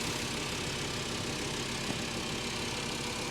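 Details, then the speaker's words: Salvage-auction Mercedes S550, engine bay with coolant present and newest-looking belt. Steady, even idle with a constant hiss, no knocks or misses; sounds like it's running well, normal idle. "i don't see anything under the hood that's concerning it sounds like it's running well"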